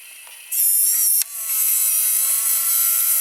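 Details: Opened JVC GR-AX33 VHS-C camcorder, loading mechanism exposed: a thin, high motor whir starts sharply, pauses briefly, then resumes evenly. Tape loads normally; the camcorder's picture and VCR buttons don't work.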